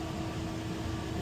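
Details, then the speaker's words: Commercial refrigerator compressor with power applied: only a steady electrical hum with a faint tone, and no compressor running or vibration. The compressor piston is seized and the compressor needs replacing. "So we have power but the compressor is not running. The piston is seized. So, we need a new compressor."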